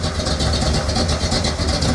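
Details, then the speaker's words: 1970 Ford Falcon small-block Ford V8 after a 750 Holley carb swap, still cold and idling a little low: a steady, even low rumble with no knocks, misses or ticks. Normal idle that sounds healthy and better than ever. "But it sounds good. Forgot about that. Sounds better than it ever has before."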